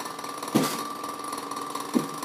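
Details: Haier 1.7 cu ft mini-fridge, under 3 months old: two sharp knocks about a second and a half apart over a faint steady hum while running; cause unknown.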